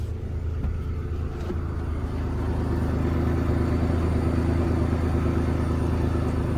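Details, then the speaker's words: 1999 Ford Explorer after fuel pump replacement through an access hatch (previously hard starting, suspected vapor lock): fired up quickly, steady, even low idle with no misses or knocks; healthy. "okay that's promising it actually fired up a lot quicker than I thought it was going to"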